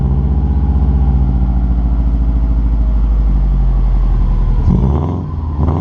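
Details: 2003 Subaru WRX after turbo oil drain gasket replacement, exhaust hangers refitted, heard from behind the car: steady even low rumble with a smooth turbo-four burble, no knocks, ticks or whine; healthy idle.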